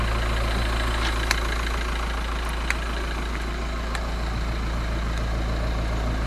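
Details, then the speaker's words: Skoda Superb Mk1 2.5 TDI V6 diesel first started after sitting since March 2020, with a burst boost hose: steady low rumble at idle with faint clatter, no misses, slightly uneven. Rough idle after long storage. "This car's no been started since March. That's how good the old Volkswagens are."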